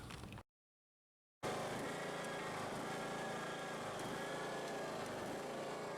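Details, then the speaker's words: Husqvarna YTH18542 riding mower after deck rebuild with new pulleys and original belt: even steady engine drone with blades engaged, no squeal or belt chirp; mows normally, though mower still shakes. "okay it cranks it cuts it goes doesn't squeal so i'm gonna say the job is a success it works"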